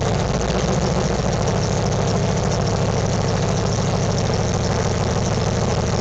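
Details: 1998 Ford Crown Victoria Police Interceptor V8 idling: fast, even puffing tick riding on the low rumble, from an exhaust leak.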